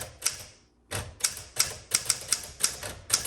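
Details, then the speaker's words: 1961 Smith Corona Sterling 5A typewriter typing: crisp even key strikes at brisk pace; typing action good though somewhat noisy and grindy. "So this typewriter, the typing action is wonderful. It's very grindy and noisy when you hit t"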